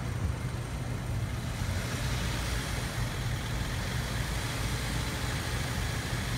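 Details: Petrol engine running with an uneven, lumpy low beat during an emissions test, from a misfire caused by a non-functional fuel injector.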